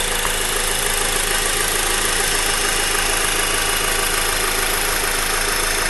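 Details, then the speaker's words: Honda Accord four-cylinder sedan idling, hood open, noise coming from the engine block; steady fast diesel-like clatter of about 200 ticks a minute over smooth idle; normal engine sound. "It's coming from the engine block, it sounds like. Like right there, that's where it's coming from."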